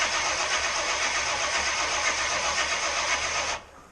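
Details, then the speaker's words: Supercharged small-block Chevy first start attempt: steady cranking around four beats a second with no firing, then stops; fuel present but no spark, zero ignition. Coil later swapped for one from a long-idle jet boat. "Tons of fuel. No sparks. Good. Why do we have no sparks? We have 0 ignitions, let's try her again."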